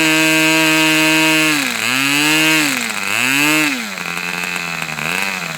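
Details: Customer's Fox twin-cylinder glow engine on probably its final run of the day, outdoors as it cools off: high, crisp two-stroke buzz climbing and dropping smoothly with throttle blips, even firing, no misses or sputter; healthy twin.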